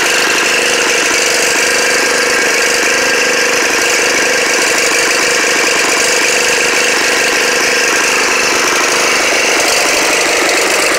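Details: Snapper riding mower on its first start in 4 years, chugging unevenly at a fast idle, the beat stumbling and surging instead of holding steady; rough running.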